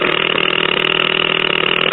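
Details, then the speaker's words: Late-1940s Packard Bell five-tube AM radio chassis, long unused: steady high whistle over rough raspy speaker hiss, worsening as the probe nears the IF amplifier tube and especially the second IF transformer, so the IF amplifier stage is oscillating. "and you can see it gets a lot worse move it up next to the [Music] transformer so it appears to be particularly bad around the second if transformer so we need to investigate that"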